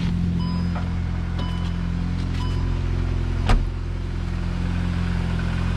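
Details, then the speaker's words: VW Golf GTI MK8 with Southbend Stage 3 Endurance clutch and Unitronic Stage 1+, clutch not fully broken in (about 200 miles to go), recorded outside at idle: steady low rumble with faint uneven pulsing, mild clutch chatter. "I wouldn't be too concerned. The braking is not done 100%. I have like 200 more miles to be done, but as you can see, or as you can hear, the chatter is not as loud as all the peo"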